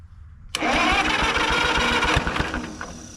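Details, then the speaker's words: 1952 Caterpillar D2 pony engine, previously had dirt in tank and sticking clutch, started on battery with choke on, clutches disengaged, neutral: starter cranks briefly, engine catches at once and settles to quick, even putter warming up. "graceful performance or the first Pony engine start I've ever done but it worked out"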